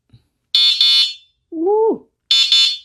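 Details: Bluvall K10 dual-motor, dual-battery 52V 2000W moped-style e-bike: short high-pitched double beeps repeating about every two seconds while signaling; turn signal buzzer working normally.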